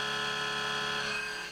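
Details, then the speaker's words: CNC mill taking a lateral pass at 0.8 in depth of cut, other parameters unchanged: steady high spindle tone with clean, even cutting and no rattle or pulsing. Normal cut, no chatter. "so all the other parameters are the same but the depth of cut is greater and i seem to handle it fine"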